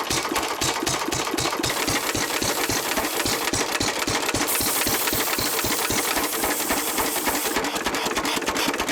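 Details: 1923 3.5 hp Emu (rebadged Hercules) stationary engine, restored early 1980s, first start in 20+ years, fuel pump worked manually: steady, even firing beat about three to four per second, crisp exhaust pops, no knocks or misses; normal running.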